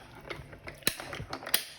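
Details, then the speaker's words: Big Shot die-cutting machine with three dies taped in the plate sandwich: uneven crisp popping and cracking as the plates crank through. This is the normal sound of the dies cutting, not the machine breaking. "you hear it popping and cracking that shows that it's cutting"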